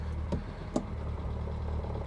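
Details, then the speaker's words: Reliant Fox at idle: two short harsh crunches as reverse (no synchromesh) is tried; clutch not fully disengaging, reverse goes in with engine off; the clutch adjuster needs adjusting to pull the fork harder. "Hear that? That's ugh. That's a clutch that is not entirely disengaging."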